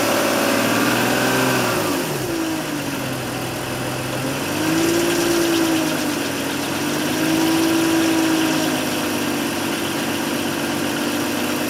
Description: BMW Rattling noise when engine warm at low RPM, and for few seconds on warm start up. No noise on cold start.